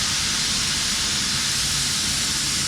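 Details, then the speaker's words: Motorcycle/ATV lift venting its air after being set on the locks: loud, steady, airy hiss held for about three seconds, a normal pressure bleed-off. "bleed off all the air pressure"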